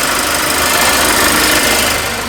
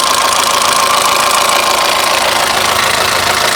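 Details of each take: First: Mercedes-Benz engine running after the workshop repaired its abnormal noise, not start-up variator-gear or chain-tensioner noise: even, steady engine note with a bright top end and no heavy knock; sounds healthy. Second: Mercedes-Benz engine at idle with microphone close: loud, steady metallic clatter, about three knocks a second, tractor-like, caused by loss of oil pressure rather than chain tensioner or variator gears.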